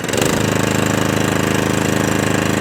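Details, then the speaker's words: Atco Balmoral 17SK mower after fuel tap leak fix, started stone cold after three days with choke then off choke: small single revs up quickly to full revs and down to idle, steady with no hunting or surging; governor normal. "no hunting no surging straight down to idle no hunting no surging back on the full revs"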